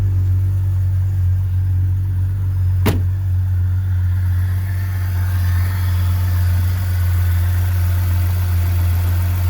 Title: Jeep Comanche 4.7L Stroker Rough Idle